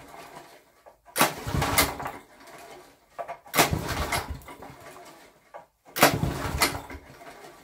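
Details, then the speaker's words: Barn-find Honda GX340-engined generator with a homemade CDI ignition (originally no spark): three brief rasping pulls about 2.5 s apart that never fire; no start because the ignition earth wire was disconnected. "let's check all my connections check my fuels on chuck is on those guys are wrong those guys are on ah earth wasn't connected right let's try again"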